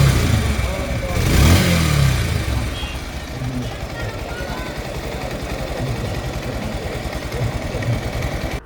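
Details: Bajaj Pulsar double-disc motorcycle at about 16,090 km, ridden after a service that topped up low brake oil, adjusted and greased parts. The single cylinder revs, then settles into an even, steady run with no ticking or rattle. Normal, healthy running.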